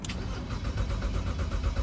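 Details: 2008 BMW X3 that cranks but won't start, with a stored camshaft actuator control circuit low code that won't clear; an even, quick cranking rhythm for two seconds that never catches or fires.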